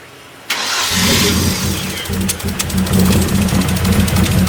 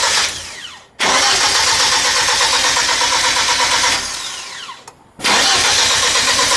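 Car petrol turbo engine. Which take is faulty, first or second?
first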